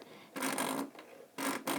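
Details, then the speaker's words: Vintage Bernina 1230 sewing machine before cleaning: dry scratchy rasping rubbing sound each time the needle goes up and down instead of a smooth hum; not normal, taken as a sign it needs cleaning, cause not confirmed. "Basically, that's a sound being made every time my needle goes up and down, and that is not normal for my machine. So that's a sign that my machine needs a little cleaning."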